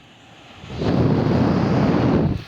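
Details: 2016 LG 8,000 BTU portable air conditioner in fan-only mode on high, after it was left four weeks to dry. An airy rush builds and holds steady with no rubbing, ticking or rattle, so the blower runs normally. The rear fan is stuck.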